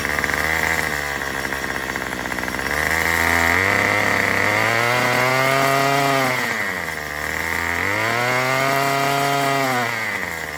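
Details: Murray M2500 trimmer on a new, not yet adjusted carburetor kit; under throttle the revs surge, sag and struggle to climb cleanly. It bogs on the untuned high-speed mixture screw.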